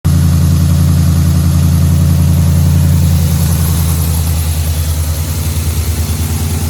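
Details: 2011 Ford F-150 5.0 V8 at idle: deep, steady knock about three to four times a second; suspected rod knock, not confirmed.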